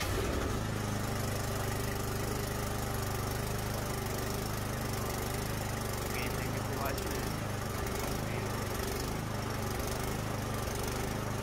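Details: Craftsman 24-inch electric-start snowblower that would not start after sitting all summer, running after carburetor cleaner was sprayed into the spark plug hole: steady small single-cylinder putter, even beat about one per second, no misses or surging. Normal running.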